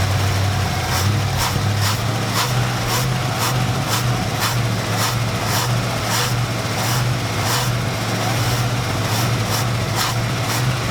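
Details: 1972 Dodge D100 truck, 318 V8, first start after sitting 13 years in a junkyard, fed gas from a jug: steady, even low rumble at idle with light regular valvetrain ticking; runs smoothly.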